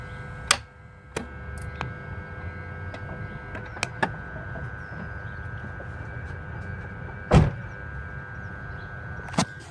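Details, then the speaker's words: 2002 BMW 325xi after a front-end accident with the airbag deployed; it powers up but won't crank. With the clutch down and the phone near the engine, turning the key gives only a sharp tick: no-crank with single click, cause unconfirmed. "after that tick, the key won't even attempt to try to start the car again."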